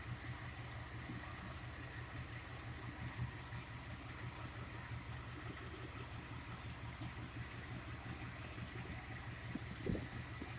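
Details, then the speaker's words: Old carbureted engine with a Tomco carb, idling near 660 rpm while the mixture screws are turned a quarter turn at a time: uneven, lumpy idle with slight stumbles. Rough mixture setting; backing out a quarter turn then smoothed it and raised rpm about 100. "there we go we're a little bit rough there and then we're gonna back them out a quarter"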